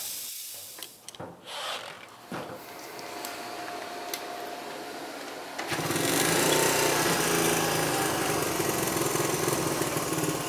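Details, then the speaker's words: 1973 Honda CT90 with cleaned, rebuilt OEM carburetor replacing an aftermarket one, first start before full adjustment: some clatter, then the single fires and settles into a quick even idle with no hunting; close to right, much better. "Well, there you go, guys. You heard this thing. I've just barely started to adjust it, you know, into spec, but I can go ahead and tell you it's worlds better"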